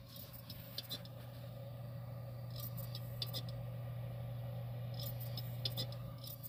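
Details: Xbox external hard drive, warm but not hot, cables secure: sharp dry clicks at uneven intervals over a low hum; flipping the drive did not help; the drive is likely failing and needs replacement.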